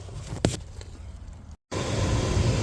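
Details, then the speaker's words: 2008 Jeep Grand Cherokee blower motor, reinstalled after a dead mouse causing a knocking noise was removed and cleaned out: after a brief knock, the fan settles into a steady, even low whoosh with no rubbing. This is normal operation after repair. "Lower motor is back together. All cleaned up. And she sounds back to normal."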